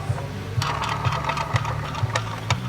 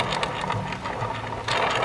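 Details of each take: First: Bow axle, rolled on a flat surface near the mic: dull thump about twice a second, once per turn, over a low rolling hum; the axle is bent, also visible as it rolls. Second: Bow axle removed during a dry-fire inspection, rolled on a flat surface near the mic: light, even rolling patter with no catch, click or wobble; the axle rolls true, not bent.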